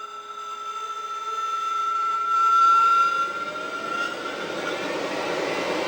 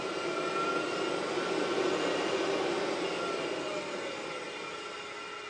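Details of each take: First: HPEVS AC-50 induction motor on bench with Curtis 1239-8501 144V 500A controller: thin steady tones over rising hum during spin-up, gone at speed; owner suspects electronic controller noise, not bearings, since motor is silent on old 96V controller; motor whine at spin-up. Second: HPEVS AC-50 induction motor on a Curtis 1239-8501 144 V 500 A controller, bench test without pack voltage, slow throttle ramp: smooth rising electric hum with no squeal. A quick ramp does squeal.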